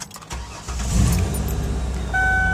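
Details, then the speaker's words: 2003 Ford Windstar LX wheelchair mobility van, believed 3.8 V6, 248,312 miles, sixteen years old: short crank, engine fires right up and settles into a smooth, even idle; normal cold start. "current miles kind of a glare they're 248 312 it's a little bit higher miles but as you can hear the fires right up"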